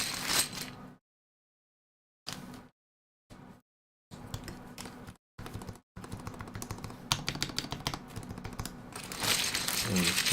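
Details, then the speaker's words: Freshly soldered E6 V2 keyboard build, stabilized keycaps fitted to check function: quick, uneven bursts of crisp clacks with no rattle or scratchy spacebar tick; stabilized keys sound healthy. "Get our stabilized caps on, just make sure, all of this sounds good. Sounds great there."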